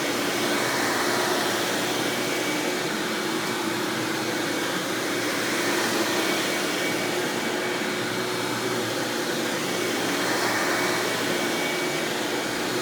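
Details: 1997 Hoover Dirt Finder Power Drive self-propelled upright vacuum, model U6331-930, Elite style, running: steady, even motor hiss with faint whine, no rattles, knocks or pitch wobble; exceptionally smooth, surprisingly quiet, normal running.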